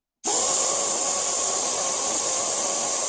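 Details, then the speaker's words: Toyota Land Cruiser A442F automatic transmission shift solenoid, air-pressure tested unpowered (complaint: intermittent no overdrive, taking off in 2nd): steady strong hiss of air passing freely; solenoid is normally open, correct. "And we're putting the air pressure through, and you can see it's normally open."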